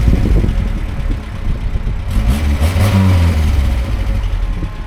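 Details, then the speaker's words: Talbot Express motorhome with a valve the owner blames for heating and temperature trouble; engine picks up quickly on blips and settles back without hesitation or flat spots, no rev gauge; throttle much more responsive now, normal. "There's no rev gauge obviously, so can't see the revs, but it's a lot more responsive now, so definitely done something good, that's for sure."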